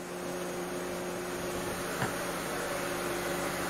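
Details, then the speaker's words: 2008 Mercedes W204 C180 Kompressor after fix: cooling fan now a steady, even, moderate whoosh with no surging or roar, no longer running constantly fast and loud after start; previous refrigerant pressure sensor fault code B10 7A15 cleared. "so i think this was uh successful because the fan is no longer running like crazy as you can probably hear already"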